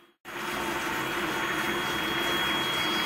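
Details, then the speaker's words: Master bath soaker tub filling from the tub faucet set to hot only, water around 100-108°F: water rushes in with a thin, steady high-pitched whistle the whole time. The faucet whines under flow. "yeah makes that noise that's kind of annoying as well his high pitch meaning"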